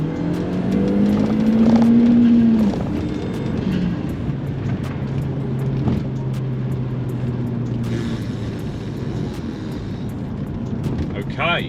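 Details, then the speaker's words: Audi TT 225 Quattro with universal intercooler and stage 1 map, full-throttle 0-60 mph run (6.09 s) with a dodgy clutch, heard passing by: loud engine pulling hard with a thin rising whistle under boost; cause not confirmed. "a whistle as it came past by the way yeah i heard"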